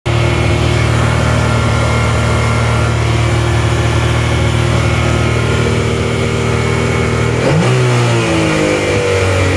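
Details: Yamaha YXZ1000R: engine holds a steady raised speed instead of dropping to idle, then shifts pitch late on; throttle sticking open, traced to the throttle butterflies.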